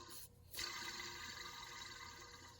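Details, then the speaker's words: 2009–2013 Ford F150, belt tensioner idler pulley removed and spun by hand: it gives a dry, raspy whir that fades as it slows, and the bearings are suspected dry. "Bearings are kind of dry. I fixed this for free."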